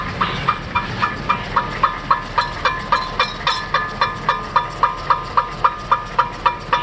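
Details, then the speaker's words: 2005 Cadillac STS AWD, front wheels spun on jack stands after new front shocks, lower control arms and passenger axle. A crisp metallic scrape about four times a second, once per wheel turn. A heat shield rubbing the rotor; fixed by bending it away and removing raised rust. "that's it let's see it's a heat shield right behind right behind there it's a tiny heat shield the rest of it doesn't have one but that's all it is"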